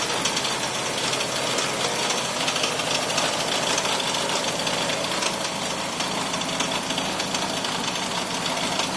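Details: 2001 Toyota Camry with a super rough idle: harsh, rapid clattering knock throughout, like a jackhammer, with the engine shaking; it was smoking with a burning smell.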